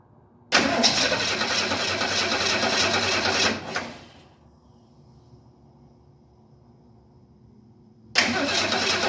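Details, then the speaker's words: 1968 Ford Mustang sitting long, about 2.5 gallons fresh gas mixed with year-old fuel: about three seconds of steady cranking at roughly three and a half beats a second, then more cranking; engine tries but won't catch, battery later drained. "Oh, it's trying. I don't know if you could hear that, but it's definitely trying to start."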